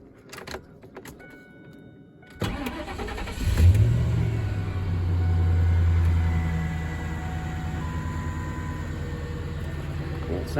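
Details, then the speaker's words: 1998 Ford F-150 V8 yard truck just after new spark plugs: brief crank, quick catch, a short high flare, then a smooth steady idle; sounds good for an old truck; normal idle. "it sounds pretty good. I've been using it as a yard truck. I think that sounds pretty good for an old truck."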